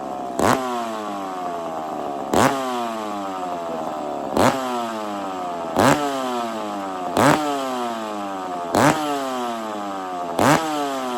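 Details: McCulloch chainsaw warming up after a starting trick: sharp throttle blips about every second and a half, revs falling away cleanly, blowing smoke as it warms; normal, healthy warm-up running.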